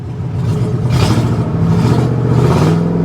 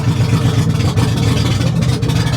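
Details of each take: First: Ford F150 3-valve V8 at a salvage auction, no check engine light: revs up and drops smoothly through quick blips with no stumble; known for breaking spark plugs causing misfires under load around 50 mph, not present here. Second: Salvage-auction vehicle at idle: loud, uneven low rumble with a ragged pulse, sounding awful; running rough and noisy, cause not determined.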